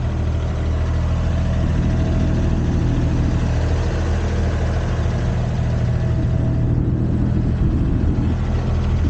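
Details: Used Komatsu PC10-3 mini excavator diesel at low idle, set just high enough to keep the battery charging: a steady, even, smooth rumble with no knocks or misses; normal idle.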